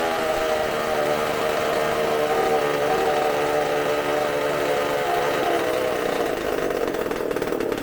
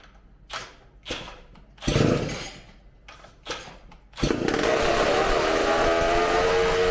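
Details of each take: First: Supercharged McCulloch two-stroke chainsaw engine on bench, tank fuel: high buzzy note wavering unevenly, won't smooth out; running rich, burning black and sooty, keeps running with hand over intake because air pumps through ports. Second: McCulloch supercharged chainsaw on bench after carb cleaning and new gaskets, running off tank fuel: a few pull-start tugs, then catches and screams at steady high rev with clean even buzz, supercharger sound, eats fuel fast; runs fantastic.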